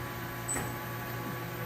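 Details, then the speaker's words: Resistance spot weld on a Corsair aircraft part, acid-etched for correct resistance, at 24,000 amps for 60 milliseconds: low steady buzz with a brief high chirp as full current passes; a normal, correct weld. "okay 24 000 amps for 60 milliseconds on this spot weld he brought up with his foot there oh that means you're hitting the amperage correctly no that is the amperage going through the park oh yeah that's like the bulk of lightning you hear that's the buzzing sound"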